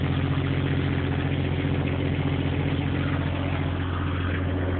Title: Exhaust leak